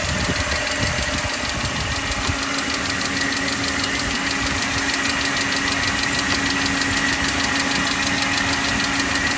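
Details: BMW E39 530i petrol six at idle: a fast, steady ticking about three a second riding over the engine hum.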